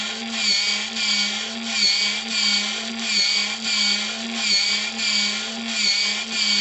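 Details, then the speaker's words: JMC servo pump (70 rpm, self-priming) filling the boiler of the RC steam tug Resolve from a water tank: a light whir swelling about every second, even pumping with no grinding. The pump is slow but working. "C'est pas flagrant, hein. Je sais que la pompe est pas très rapide, mais je sais qu'elle fonctionne."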